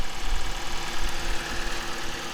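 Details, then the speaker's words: 2002 Toyota Noah minivan, Japanese import, 2-litre engine: steady, even idle hum with slightly tinny note on top, no knocks or ticks; tinny sound is just this engine's character, normal. "Nothing really to say about the engine. It's very, very normal."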